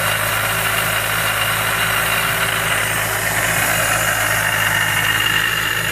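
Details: Mazda Miata with a Jackson Racing M45 supercharger at idle: a high, gritty whine riding over a steady idle. Possibly failing supercharger bearings, unconfirmed.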